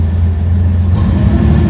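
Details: 1970 Porsche 911T driven for first time in over a decade after CV axles, shifter linkage, clutch adjustment, wiring and brake bleeding, refuelled after running out of gas: deep steady engine note pulling away in first gear, no misses or knocks; normal running.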